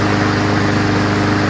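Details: Curbside Honda Quadra Blade GCV160 self-propelled mower, fresh test gas and oil full, running: smooth, even single-cylinder firing with no misses or knocks; sounds healthy.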